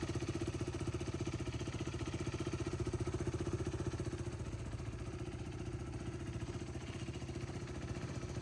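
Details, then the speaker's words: 2015 BS3 KTM RC 390, second owner, about 9,000 km, no oil leaks: steady, even single-cylinder thump at constant speed with no knocks, rattles or ticks. Pure sound, no engine noise. "നല്ല pure സൗണ്ടാണ് കേട്ടോ. വേറെ engine നോയ്സോ കാര്യങ്ങളോ ഒന്നുമില്ല കേട്ടോ."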